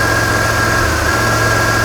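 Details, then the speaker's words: Engine with a crank sensor fault: steady idle with one brief stumble, a dropped beat from crank sensor signal dropout upsetting spark timing; wiring not suspected. "let me unpause that and try to start it again yeah we're still missing oh it's better"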